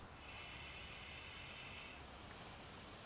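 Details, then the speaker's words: Rebuilt carburetor from a John Deere 110 garden tractor, turned back upright after needle-seating check, blowing into the fuel inlet: thin whistling hiss about two seconds as air passes the open float needle valve; working correctly. "Turn it back upright, and you should hear the airflow."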